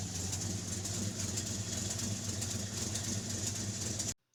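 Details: REO M-35 truck with a blown head gasket, engine still cold and warming up. The idle is uneven and lumpy, with a pause where a cylinder should fire, skipping at least one and probably more cylinders. When warm it would not idle.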